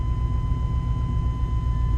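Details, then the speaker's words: Chevy 350 small block TBI started right after an oil change to check oil pressure comes up: low, even V8 idle rumble holding steady with no knocks or ticks; running smoothly at normal idle. "Now, you ain't gonna have no oil pressure because you just drained out all your oil. So what I like to do is start it up and make sure my oil pressure comes up right away."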